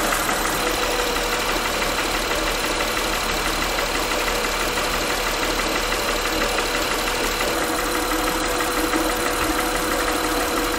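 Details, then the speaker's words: Honda Pilot V6 idling, mic held close to engine: steady idle with uneven tapping about three per second; knock persists with each cylinder unplugged, timed with cylinder 6 exhaust valve closing/intake opening; owner suspects valve lash needing adjustment. "so here we are at a honda pilot you probably hear a little bit of that knocking"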